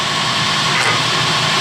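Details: Clausing horizontal mill power feed gearbox after oiling and reassembly, test run while shifting between positions A and C: a steady, even whirr with no clashing or grinding; normal.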